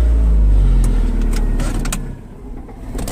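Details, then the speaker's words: Cheap 2002/2003 Dodge Neon ES with a floor-shift automatic, earlier accident damage: the idle sags and roughens when shifted into gear, then it jerks and dies; stalls under drive load, and the owner suspects a transmission problem. "So let me drop it down in gear. And now it stays idling. There, now see, it jerked and stopped on me."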